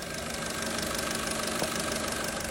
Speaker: today I will teach you how to judge engine failure by abnormal noise the engine is making abnormal knocking noises